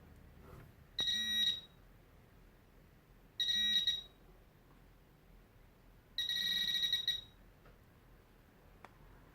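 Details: Tek Point probe pinpointer detecting a silver denarius on a desk. Three bursts of steady high-pitched buzzing, each about a second, a few seconds apart; normal detection with impressive depth.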